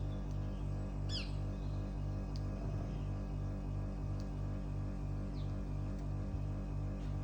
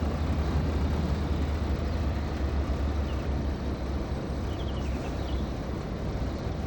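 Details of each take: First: Mitsubishi heat pump outdoor unit idling about 2 minutes after completed defrost, tubes clear, doing nothing: steady low electrical buzz with slow regular pulse, getting louder, after a big bang; far louder than refrigerator-level dBA, cause unknown; loud buzzing at idle. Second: Heat pump outdoor unit entering defrost cycle: steady low hum easing as the compressor slows, believed to reverse and send warm fluid to clear ice from the fins; normal defrost slowdown.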